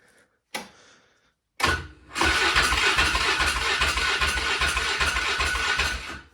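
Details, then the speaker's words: 2000 Polaris Sportsman 500 6x6 ATV, 918 miles, sat two years, in neutral: a couple of cranks, then it catches and runs rough about four seconds before dying. Spark is present, so fuel starvation. "So that means we have spark, but it doesn't want to stay running. So that means we don't have fuel."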